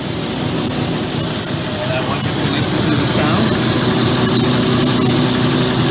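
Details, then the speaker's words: NS DM 1100C deburring machine running small aluminum parts: steady drone with a faint, even brushing hiss as the belt is turned down until the brush is just lightly touching the conveyor belt, set for maximum aggressiveness; correct light brush contact. "And now, in order to be maximum aggressive, what I'm doing is I'm turning the belt down until I hear it slightly touching the"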